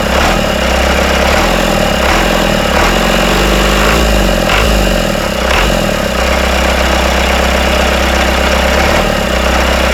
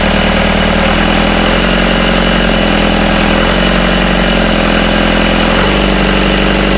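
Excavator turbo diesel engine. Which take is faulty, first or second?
first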